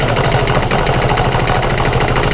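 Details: Aprilia Scarabeo 200 scooter, 14 years old, rescued from scrap, after mechanical servicing and carburetor adjustment: even, steady single-cylinder putter with firm low beat, no misses or rattles; normal idle, oil change next.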